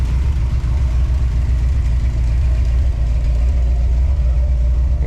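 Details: 1984 Dodge D100 with a big-block swap and a 600 CFM Edelbrock carb, restarted after sitting a year with fresh gas, carb adjusted: deep, steady idle at about 220 beats per minute, no stumbles, knocks or hunting; belts slightly loose and squeaky.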